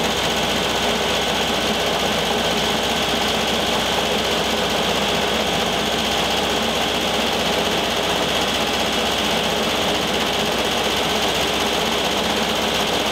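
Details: 1973 VW Thing Type 181 that sat for years, air-cooled engine: a steady whir with a harsh, raspy high-pitched hiss on top. Owner feels something caught in the cooling fan housing and plans to remove the belt.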